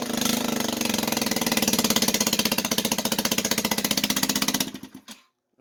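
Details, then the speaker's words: Cheap used moped (called 50cc, listed as 150cc) running on a battery charger in place of a battery: harsh rapid chuffing with a sharp pop on every firing pulse until shutoff, a bad exhaust leak. The throttle is yet to be fixed. "there's a bad exhaust leak has a bad exhaust leak I'm gonna fix the throttle but it runs for $75 I'm not mad"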